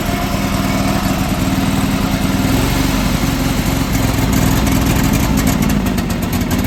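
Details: John Deere 425 garden tractor that sat for years, first runs after a new starter: loud single-cylinder chatter that stumbles and surges unevenly at idle, then sputters and smokes with an oil-like smell; running rough.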